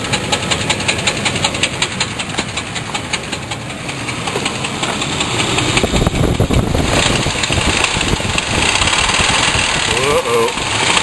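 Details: Heavy, regular banging under the idle that persists when the throttle is opened; a deep knock or rattle, suspected possibly to be the torque converter bolt, not confirmed.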